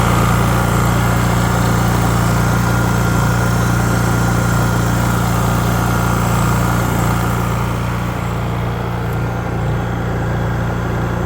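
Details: Honda EU3000is generator after carburetor replacement, fresh gasoline, run outdoors: smooth, even hum at constant speed with no hunting, misfires or knocks, fastest crank-up seen; normal running.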